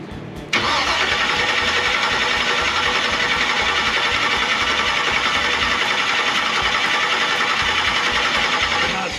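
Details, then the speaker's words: 1957 Chevy first start attempt, carb possibly without fuel: steady, even cranking for several seconds with no firing; turns over but won't start, suspected no spark or ignition fault, not confirmed. "is that thing not hitting if either this is not working or you don't have to spark"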